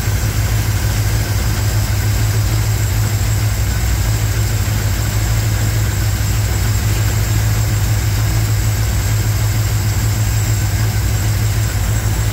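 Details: 1987 Chevrolet K10 squarebody 4x4, V8 idling during warm-up on first start after blown head gasket repair; steady, even low rumble, no knocks or misses. Normal idle.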